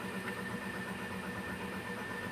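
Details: 2019 Toyota Hilux diesel after repair of its engine noise and no-charging fault (the alternator had been removed): steady idle with an even low rumble and a faint high tone, no knocking or squeal; the battery light is off and it is charging.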